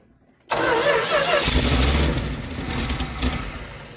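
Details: 1973 Dodge D200, 360 V8, 727 automatic, sat for 8 years, first start attempt with old fuel hose blown out: catches with a roar, then surges, sags and fades, running lean because the carb bowls are not yet full of fuel.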